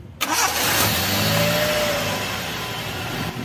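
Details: Toyota Corolla small body with carburetor, previously hard starting in the morning or after long parking; after carburetor rebuild (pump jet gave no fuel), quick crank catches at once, revs briefly, then settles to smooth steady idle; normal start.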